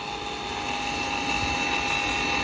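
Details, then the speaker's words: Power vent motor: loud steady high whine with a rough, gritty grind underneath at constant speed; the blower motor bearings are worn and the motor is to be replaced. "on the power band you can hear it grinding away"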